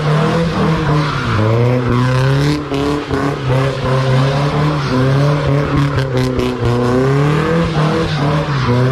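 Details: Nissan S14 with SR20 engine after gearbox repair: engine pulls cleanly up and down the revs through shifts with no gear whine or grinding over road noise; gearbox healthy, earlier noises gone.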